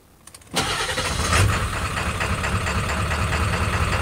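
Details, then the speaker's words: OBS Ford F-250 Powerstroke diesel, 300,000 miles, straight-piped, no tuning, after lift pump replacement: cranks and catches hard, then a loud surging, wavering idle. Owner suspects air still in the fuel; lope on start-up. "yeah there we go i might not have all the air out of it or i don't know but it runs uh it just runs a little rough at idle"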